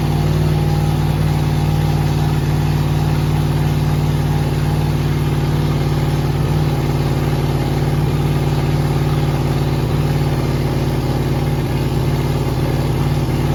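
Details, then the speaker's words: Rebuilt 5.3 LS V8 with a Truck Norris cam, BTR beehive springs and MSD ignition box on a preset, first start, with a big backfire: lumpy, uneven idle with an irregular stumble about four times a second. Misfire from wrong ignition timing, later fixed by changing the MSD preset. "That made me jump. Doesn't like this timing, does it?"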